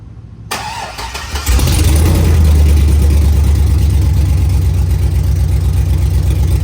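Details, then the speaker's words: Chevy SS Silverado V8 with newly installed long-tube headers run open, cold start: cranks, fires and settles into a loud, deep, lumpy idle; owner suspects an exhaust leak on the passenger side. "Still sounds like there's an exhaust leak in it, so on the passenger side."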